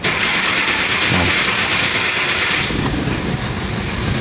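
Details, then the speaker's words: 2014 Hyundai Accent automatic after fuel pump replacement, lines being bled: continuous cranking that runs longer than usual before catching, normal while air clears from the fuel lines; extended cranking after fuel pump replacement. "Tingnan natin kung one click. Ah ito normal to mag-harting gawa nung puro hangin pa."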